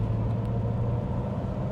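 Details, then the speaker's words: Porsche 928GT driven after a rear wheel bearing replacement: steady low road rumble at constant speed, with no groan or drone from the rear wheels; the bearing had groaned for about six months, mostly at motorway speed, and is now quiet. "no noise at all yeah that's so much more pleasurable to drive"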